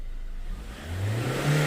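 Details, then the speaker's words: 2016 Ford Ranger MC that wouldn't rev and lacked power with code P0184, after replacing the fuel temperature sensor: engine now revs smoothly and quickly from idle to 4,000-5,000 rpm, no misses or stumbles. "เนี่ยปลาไป4,000เนี่ยปาไป4-5,000รอบแล้วเห็นมั้ยเห็นความแตกต่างมั้ยระหว่างก่อนเปลี่ยนเซ็นเซอร์กับหลังเปลี่ยนเซ็นเซอร์อ่ะ"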